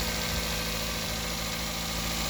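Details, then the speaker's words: 2006 Toyota Corolla 1.8L after spark plug change: steady, even, smooth low idle hum with no misses, knocks or stumbles, all cylinders firing nicely. Normal idle. "I'll start it up sounding good burn like a kitten like all the cylinders are running very nicely"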